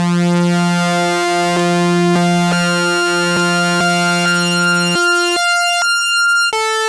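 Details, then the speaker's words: Restored 1973 Minimoog with calibrated oscillators: clean, steady pitched tones stepping note to note with no drift, crackle or warble; the oscillators sound stable, in tune and work well. "e oscillators just to see how they sound, and actually they work really well, to be surprised here."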